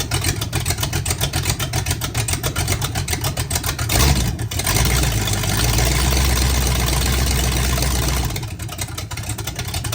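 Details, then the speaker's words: Oldsmobile 400 G big-block V8, sat a couple of years, restarted without coolant: deep, even burble at idle with steady lope and a short rev blip; runs great, no smoke, only a small fuel pump fitting leak. "There you have it. It runs great. No smoke, no nothing. It's been sitting for a couple of years."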